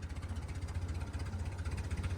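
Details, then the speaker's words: 1970 BMW 2002 first start after 10+ years unused, running partly on ether with little fuel: slow, lumpy, faint idle around 450 RPM, barely holding and close to stalling, needs a little choke; very low idle speed. "it idles enough it's stop smoking it's so faint it's just like yeah really low RPM oh yeah there's a little bit of idle speed there bud"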